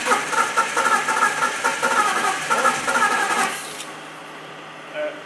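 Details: 1998 BMW 5 Series Touring, 2-litre six-cylinder automatic, rear-wheel drive, after sitting six days under ice: about three seconds of steady starter cranking with a regular beat, then it stops; never catches, cranks but won't start.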